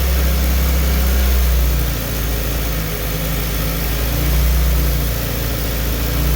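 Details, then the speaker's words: Car on the dyno, warm four-cylinder idle: a slow rise and fall in the engine note every couple of seconds. "once you hit a vacuum leak the idle is going to kick down and or stop surging which is what I'm going to show you"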